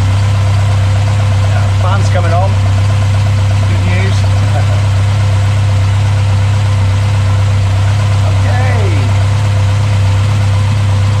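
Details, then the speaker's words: Mk1 Ford Escort Pinto engine, Weber 40 DCOE carbs replaced by Jenvey throttle bodies and MaxxECU Street, after first start, throttle balancing and base timing set: steady even low drone, no hunting or misfire; well-balanced idle. "Right, we've got a working, running Mk1 Escort. It's got to sit there with a sensible idle."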